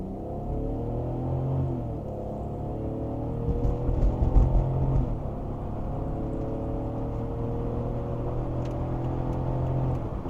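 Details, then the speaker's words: 2006 BMW X3 E83, M54 engine, 5-speed GM automatic after fluid, filter, additive and selector shaft seal service, road test under acceleration: rumble climbs and drops cleanly between gears, no slipping in third at high RPM; smooth normal upshifts. "hey that was perfect perfect shifts right there hey it's shifting pretty great I'd call that fixed"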